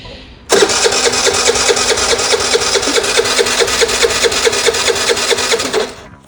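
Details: Piaggio Vespa 50 LX scooter with brake held, fuel seen in the vacuum-pump hose: starter spins it at an even beat, about two turns a second, for five seconds without firing. Cranks but won't start; cause suspected, not confirmed.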